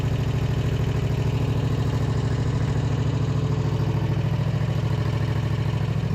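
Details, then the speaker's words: Husqvarna RZ5424 zero-turn mower that would not start or turn over with the key, started by jumping the starter signal wire; even steady low thumping at idle, no misses or hunting; idling smoothly. "okay it's literally idling like a champ"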